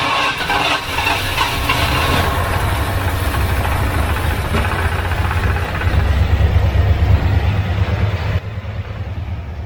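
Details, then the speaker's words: 1978 Ford F-350 parked 11 years, carburetor needle stuck open, severely flooded: deep, uneven loping chugging with stumbling and surging; it catches but runs rough from flooding. "well let's see if it runs now that it's severely flooded"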